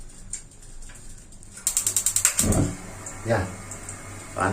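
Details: Gas water heater (LPG) after cleaning a sticking membrane: quick run of about eight sharp igniter ticks, burner catches at once; normal ignition.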